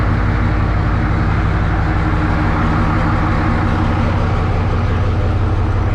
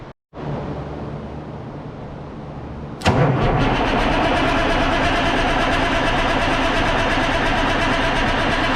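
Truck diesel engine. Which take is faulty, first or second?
second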